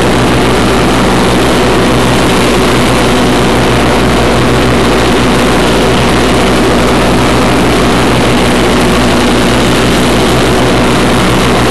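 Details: 1991 Craftsman GT6000, 20 hp Onan twin, first mow after deck lift eyelet bolt welded: loud, constant roar of engine and spinning blades, no dips, knocks or surges; normal running under load.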